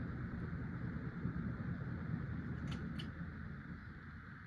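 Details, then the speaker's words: 1996 Casablanca Delta II 50" ceiling fan, Emerson K55 motor with new bearings, two blades: soft steady whoosh with faint slow pulse, no grinding or bearing noise; wobbles more, less airflow than four or five blades, more air noise. "It seems to wobble more with two blades, doesn't blow as much air as it did with four blades or even five blades, and it makes more air noise."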